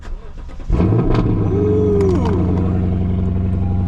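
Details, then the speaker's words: Lexus LC500 V8 at a dealer auction inspection, with an aftermarket intake: fires quickly after a brief crank, flares, then settles into a deep, smooth, even idle with no knocks or ticks; healthy-sounding motor. "Yes, that is what I'm talking about. That is a healthy sounding motor."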